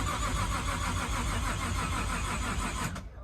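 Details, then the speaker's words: Nissan R33 with a forged RB25 during no-start troubleshooting, trigger angle set to 110 degrees; labored, dragging cranking at about four turns a second that never fires and dies off as the battery runs flat. "my mom is all right batteries dying again"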